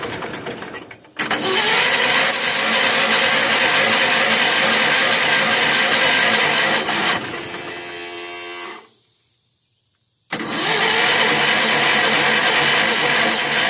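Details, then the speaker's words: 1981 Allis-Chalmers 912 Hydro tractor, Kohler K301 engine, after new generic carburetor, rebuilt fuel pump and ignition work: long steady starter cranking with slow churn, short pause, more cranking, never catches; fuel reaches the bowl. "That should have been enough cranking to at least get fuel into the bowl. Yeah, we got fuel in the bowl."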